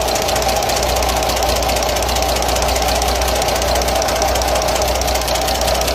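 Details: Diesel engine at idle: loud, fast, uneven top-end tapping around 100 a minute; valve clearance keeps changing because of worn tappets and worn camshaft lobes number one and two; oil not reaching rocker arms and worn adjuster nuts and rocker bushes also checked.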